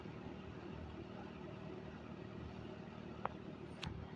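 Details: 1974 Kmart K-223 20-inch box fan, McMillan motor, unrestored, apparently well oiled, fitted with a four-wing Lasko blade, on low speed: soft steady airy hum, faint low drone, no ticks or rattles; normal running.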